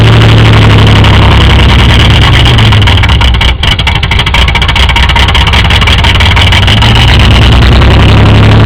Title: engine knock